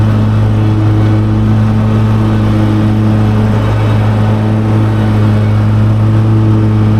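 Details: Mower with deck set at 4.25 inches: steady engine drone sags and labors, pitch dropping slightly, as heavy grass loads it; engine bogging under the cutting load.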